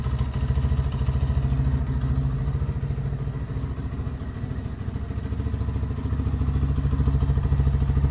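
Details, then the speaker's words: 2023 Lifan KPM 200cc motorcycle started after valve clearance adjustment and timing set, fuel line refilled; even single-cylinder thump about three and a half beats a second, no ticking or clatter, no leaks; normal running. "Sounds good. No leaks, no fuel leaks, no oil leaks."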